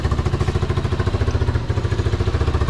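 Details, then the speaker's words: Small engine on a Tayo Tayo four-wheeler, after its carburetor was ultrasonically and carb-cleaned, starts right up and idles with a quick, even putter of about eleven pulses a second, no skips or hunting; warming up, healthy idle. "It starts right up. So far, the carb clean fixed everything there."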